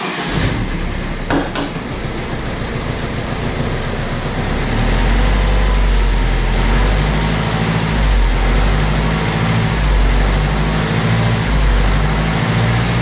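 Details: BMW E92 3 Series coupe, 2.0 diesel, at idle: coarse, uneven clatter and rattle over a heavy low drone. It starts well but runs poorly with vibration, caused by slack, stretched timing chains.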